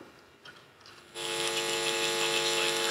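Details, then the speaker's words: Marantz 7 clone preamp kit build, worst channel: steady buzzy hum switching on abruptly at even level; mains hum picked up by a sensitive point placed right next to the power transformer, along with faint AM radio. "so anyway the channel that has the worst hum on it is this one here so you'll see that this point here is very very sensitive it's right next to the power transformer"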